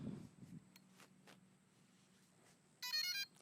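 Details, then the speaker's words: DJI Inspire 1 drone, fully charged battery fitted, powered on after the controller: a few faint clicks, then brief high chirping beeps; normal power-up tones before the LED turns green. "You will hear some beeps."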